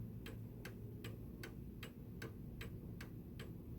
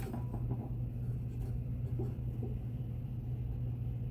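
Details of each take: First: 1904 Gilbert "Congo" 8-day mantel clock after overhaul: crisp even ticking still slightly fast against a 152.82 BPM target even after one adjustment; pendulum must be lowered further to slow it. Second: 1904 Gilbert "Congo" 8-day mantel clock after overhaul, pendulum bob refitted: crisp, even ticking about two beats per second over a low hum at the 30-minute mark; beat sounds even, clock running healthy.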